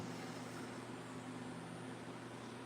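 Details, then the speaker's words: Melodysusie Scamander cordless rechargeable nail drill, 30,000 RPM, after adjusting bit seating: quiet steady even hum, no wobble, rattle or pulsing, vibration considerably improved. Normal running. "it's improved considerably yeah like that is not bad at all okay so yeah not bad at all i have to say"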